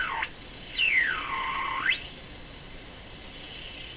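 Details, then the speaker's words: Sparton Model 5049 radio with a suspected IF-stage feedback loop: after a capacitor is paralleled, a pure whistle kicks right in and swoops high to mid pitch and back, apparently as the local oscillator is varied, an oscillation squeal the change did not fix. "So the plan here was to parallel this capacitor. Okay, you can hear the oscillation kick right in."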